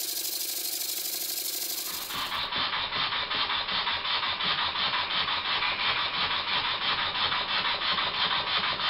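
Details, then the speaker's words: Old Bassett-Lowke plant engine resembling a Stuart S50, run on air after the slide valve was filed and reset, with some air leaking at the steam chest pipe: even running with crisp exhaust puffs and plenty of power; normal running. "I set the valve climbing fairly accurately and I'm surprised that it runs this well there's plenty of power as well"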